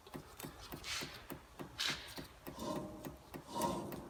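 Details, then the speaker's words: Toyota Tacoma 4x4 (2000–2010) left front wheel bearing, hub spun by hand: dry gritty rasp with rough catches about once a second; worn front bearing causing noise while driving, rear bearings replaced about 60,000 miles earlier. "I'm doing the service because of noise from the left front I've actually done the rear wheel bearings on this rig uh about 60,000 Mi ago"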